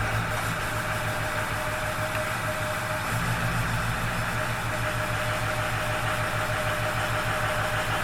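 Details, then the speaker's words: After replacing driver-side battery with a Motorcraft unit and new positive terminal, about 50°F: steady even idle with no knocks, misses or surging; normal healthy idle. "that sounded pretty good"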